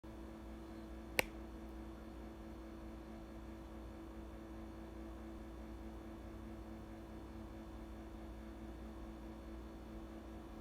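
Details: New Whirlpool refrigerator bought in 2019: a steady, droning low compressor motor hum that got louder after a service visit.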